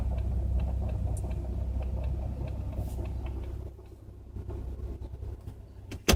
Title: Clicking Noise